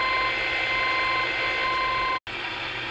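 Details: CB radio on AM in central Iowa, on channel 19: steady high whistling tones over hiss with faint ticking about three times a second and a brief dropout; the interference wandered across channels 15 to 20 then vanished, origin unknown.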